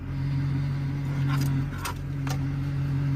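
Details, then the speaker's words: Diesel truck with 224,000 miles: a steady low whine over a smooth idle grows louder when the brakes are pressed. The brakes seem tied in with the power steering, and a bad power steering pump is suspected. "So it sounds like it is tied in, like the brake system is tied in with the power steering. I thought it would be. So maybe there's just a bad power steering pump."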